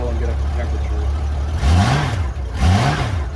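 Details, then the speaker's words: 1994 Honda GL1500 Goldwing Aspencade flat-six after fuel pump replacement, cold start day after first start, about 70°F, on choke: low, even idle with two smooth throttle blips rising and falling cleanly; healthy cold start, no exhaust smoke. "all right cold start day two uh about 70 degrees outside but this is afternoon the day after the first start"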